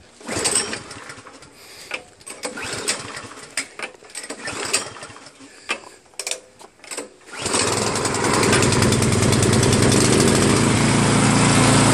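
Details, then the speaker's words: New Craftsman snowblower with Chinese PowerMore engine, after gummed carburetor cleaned and fuel line and tank blown out with fresh gas: a few hard recoil pulls, then it catches and settles into a steady full-throttle drone; normal running. "Blew out the fuel line, blew out the fuel tank, replaced some gas, put the entire apparatus back on, and now it runs good."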